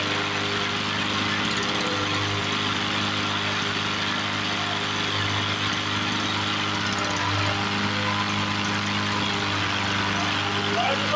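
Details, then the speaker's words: 1980s Toro mower with Suzuki two-stroke engine, revived after years unused, carb worked on: small two-stroke buzzing at steady speed, no surging or sputtering; sounds like a two-stroke should. Normal running. "yeah it sounds like a two-stroke should"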